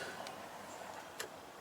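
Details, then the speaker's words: Freightliner Cascadia, thought to be 2012, no-start, faulty PNDB: 12 volts applied, a few sharp clicks as the relays pull in; relays clicking on. "so we'll put 12 by 12 volts to it and you hear all the relays kick on"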